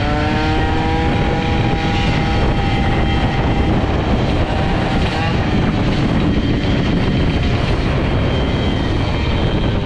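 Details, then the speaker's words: Air-cooled 103 Hybride moped with Airsal 65 kit, short belt and stiffer variator spring, carburetion richened, held at full throttle: high, steady, crisp two-stroke howl without burbling or misfire; carburetion now sounds right and it pulls well. "Donc écoutez, là, la carburation, il n'y a plus de bœuf quand j'ouvre en grand, donc là ça a l'air mieux. Ça tracte sympa, ça tracte bien sympa"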